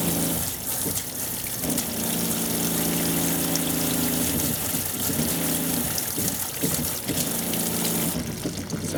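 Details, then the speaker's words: Fresh-water pump on a 2001 American Tradition RV, running off the holding tank with the outside shower open, hum cutting in and out every second or two while interior lights flicker; low water pressure, cause not yet found. "Um I can hear it uh cutting in and out. I can see the interior lights actually flickering as it's turning on."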